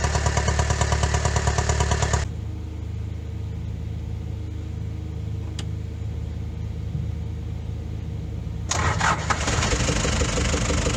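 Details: Daihatsu Fourtrak pickup with swapped-in replacement engine (old one blew head gasket); runs evenly, shuts down, restarts cleanly to a steady rhythm after a loose oil fitting was tightened; intake popping later suspected from excessive valve clearance.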